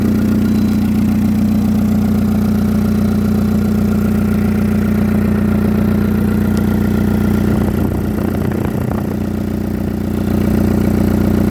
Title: Exhaust leak sound